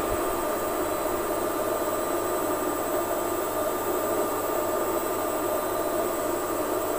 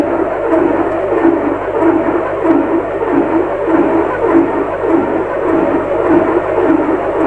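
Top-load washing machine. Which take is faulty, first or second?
second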